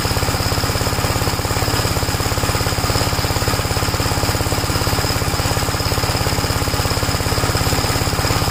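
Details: 1961 Gravely Model L walk-behind tractor, bought running, cold, started without choke: steady even single-cylinder thumping at constant speed, no misses or knocks after the start; normal running.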